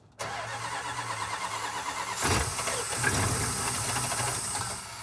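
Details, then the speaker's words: 1971 Chrysler Newport eight-door airport car with replacement 400 cu in big-block Chrysler V8, cold start in freezing weather with starting fluid: cranks, catches, idles unevenly with lumpy stumbling beat, smoother once choked richer. Rough running after cold start. "Run's great it sounds like three and a half it's all it needs so let me choke it a bit there you go much better"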